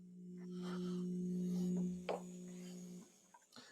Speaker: But you can hear that pump running, but I don't have enough oil to make the valve open.